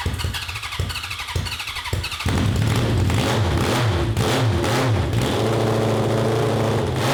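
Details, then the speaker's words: 1982 Honda CB750 carbureted 750cc four (cross kart), after jets drilled: it fires up, then revs surge and sag and break up near the top, with fire from the exhaust, no black smoke and no rich smell. The owners suspect a lean mixture and plan to drill the jets more. "this is why we need like an o2 sensor it doesn't smell overly rich though now i don't see black smoke either yeah i mean it's blowing fire out of the exhaust too just to me that seems like a lean issue"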